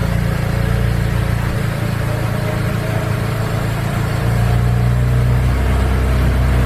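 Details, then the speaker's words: 2008 BMW 335i E90 cold start after sitting overnight, first start after replacing the EKPM2 fuel pump control module with an EKPM3, AC on: catches almost instantly and settles into a smooth, even idle with steady rumble, no misses. "I have my AC on smooth but that was a good cold start pretty instantaneous"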